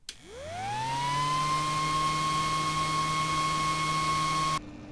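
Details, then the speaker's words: T-8280 IR preheating plate stock 40 mm 12 V cooling fan on bench supply at rated voltage, mic in front: spins up to a steady piercing whine near 1 kHz, obnoxiously noisy fan before replacement with a 5 V Noctua. "Again, it's just that obnoxious whining noise. It's horrendous."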